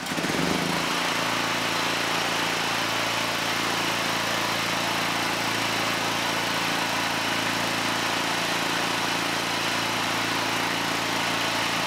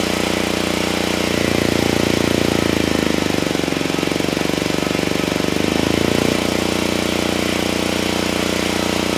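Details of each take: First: Generac GP7500E generator after a stator/rotor swap, loaded with a light and a kilowatt meter: a brief start-up surge, then a flat, steady drone with a constant low hum. It outputs just over 123 volts and the AVR regulates well. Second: Generac GP7500E generator load test after fuel system cleanup: steady drone sags and roughens for seconds under heavy load, then recovers; held 60 Hz at 3000 W but couldn't carry 6000 or 5000 W; engine down on horsepower, cause unconfirmed.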